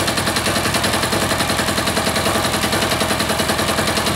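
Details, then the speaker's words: Freshly reassembled air-cooled diesel engine at a low idle the owner estimates at about 500–600 rpm; slow, loose clatter at a fairly even beat with no misses or stumbles. Normal idle. "that's a nice little idle right there even kind of getting away on me that's probably 5 600 RPM maybe there"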